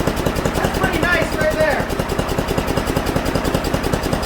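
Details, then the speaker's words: Mastercraft 10.5 hp 30-inch snowblower single-cylinder engine after carburetor clean and rebuild: quick even chuffing beats; idling a little high before the idle screw is turned left to lower it. "right now uh it's idling a little bit high when it's you know so i'm gonna start it up i'm gonna show you guys what i'm talking about here"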